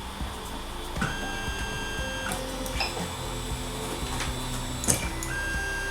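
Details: Creality Ender 3 / Ender 5 3D printer printing on its stock mainboard before the swap to the silent 1.1.5 board: whining stepper tones changing pitch with each move, plus clicks; loud stepper noise from the original driver board.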